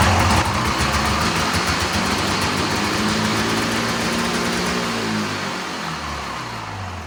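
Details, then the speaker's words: Old Arctic Cat snowmobile with swapped-in fan-cooled two-stroke, idle screw turned down about half a turn after it revved too high: fires, buzzes high briefly, then settles to a steady lower idle; idle now set right. "It worked. It worked. It idled down too. A lot better."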